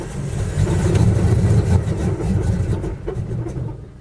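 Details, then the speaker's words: Cold morning start of a 5.2 engine that starts and runs fine warm: steady rumbling crank around four pulses a second that never fires; long hard start. Owner suspects temp sensor, throttle body sensor or computer; unconfirmed. "okay we're gonna let's see if it's gonna crank up this morning let's see the smaller crank up this morning still cranky it finally crank"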